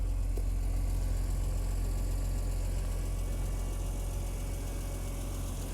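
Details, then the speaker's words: BMW Z4 M roadster with S54 engine, idling, heard at the rear: deep, steady, even rumble with no puffing or ticking; exhaust sounds healthy with no leaks underneath, though some timing chain noise noted at engine. "exhaust sounds nice I don't hear any exhaust leaks underneath the car"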